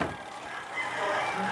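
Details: Spin dryer repaired for a noisy-running complaint, brake removed, lid safety switch cuts the timer supply: after repair a quiet even whir from the spinning drum with no rubbing or scraping; running smoothly.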